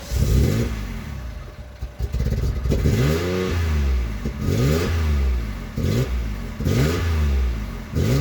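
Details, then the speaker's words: Car after gearbox work and a new wiring connection: uneven, stumbling exhaust beat with pops and clatter through every rev rise; engine misfiring badly, cause unknown. "i hope you can hear that it's uh completely misfiring can hear it popping"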